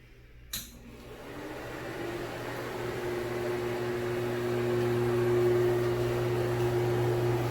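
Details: Broan Heat-a-Vent bathroom exhaust fan/heater (70 CFM, 4 sones, no light; heater not working, fan works), with impeller and shaded-pole motor: click on, then steady low mains buzz with faint whir. A normal, buzzy fan.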